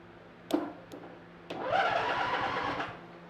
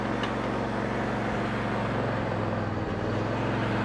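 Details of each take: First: Free used riding lawn mower, wiring and safety switches being bypassed by jumping to starter: a few sharp clicks, then the starter whirs about a second with no firing; cranks but won't start, suspected bad safety switches or grounding. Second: Free riding lawn mower that would not start, after valve adjustment and cleaned terminals: even, steady engine drone with smooth rumble and no knocks or misses; normal running after repair.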